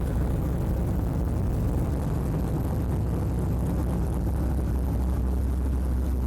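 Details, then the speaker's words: LS V8 idling on a new HP Tuners Core standalone ECU with a stock map, first start, data-logging in VCM Live: deep, even low rumble at a steady idle, no misses, knocks or whine; healthy normal idle. "here you can see as the engine is idling, you can see VCM Live is data logging all the necessary data."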